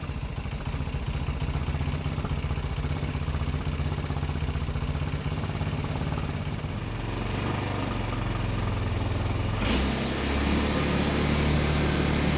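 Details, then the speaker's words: Rebuilt 150cc GY6 engine in a Blade 150 / RZR170 clone UTV, cold day, just started after fuel shutoff opened: uneven single-cylinder putter, about four beats a second, slightly unsteady; idle running high, nothing really hooked up yet. "Running idle and high, but I gotta play with all that stuff. Nothing's really hooked up."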